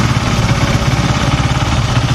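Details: Honda Sonic 150 (K56), warm: even, steady single-cylinder idle with a regular low thump and no knocks or rattles. Oil is leaking from a gasket, and the idle changes when hot, possibly from a compression leak.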